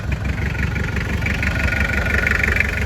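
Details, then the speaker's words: Toyota 2L diesel van (Mighty-X engine) after replacing one cylinder's connecting rod bearing that caused knocking, poor idle and power loss: steady diesel clatter at idle, even beat, no deep knock; normal idle. "ประมาณนี้นะครับเสียงมันน่าจะเงียบสุดได้เท่านี้หรือเปล่าผมไม่แน่ใจเพราะว่าเสียงไมตี้มันก็จะเป็นเอกลักษณ์เสียงเครื่องไมตี้2Lประมาณนี้หรือเปล่าครับพี่น้อง"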